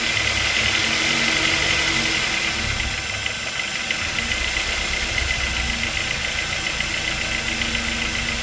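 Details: Ford Focus 2 Duratec 2.0 at idle: a steady knock of about three or four beats a second under a hissy engine, coming from the lower engine near the crankshaft pulley and A/C compressor; cause unknown.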